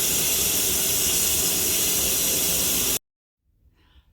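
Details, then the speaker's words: Ninja 15-in-1 pressure cooker after 4 minutes under pressure and a 3-minute natural release: loud, steady steam hiss for about three seconds during manual release, cutting off sharply. This is normal venting. "Pressure is released, so I can slide the button across and lift very carefully."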